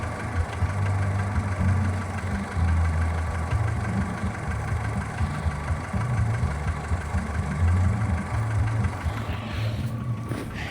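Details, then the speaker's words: Skoda Fabia 1.4 at idle: low, regular knock keeping pace with the engine, heard mostly from below near the timing belt side and clearly audible from a distance; dealer says piston slap and normal, cause unconfirmed; hydraulic lifters also slightly noisy when cold. "хорошо слышно издалека, когда машину почти не слышно, а стук слышно."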